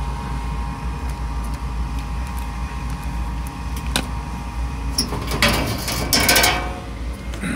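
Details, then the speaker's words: Gas furnace at startup, with an inducer motor replaced last year. An even low hum spins up and holds steady without squeal or rattle, with some handling noise later; normal inducer motor startup. "I'm gonna start this up and go from there. There goes our inducer motor."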